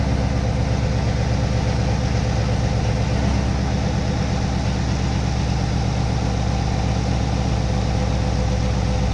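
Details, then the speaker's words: C7 Corvette V8 just after installing an MSD intake manifold, untuned: deep, steady burble at idle, every beat even with no stumble or ticking; normal idle. "Very nice. Everything's running smooth and good."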